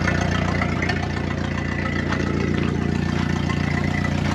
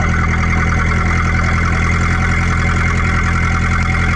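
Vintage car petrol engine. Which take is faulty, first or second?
first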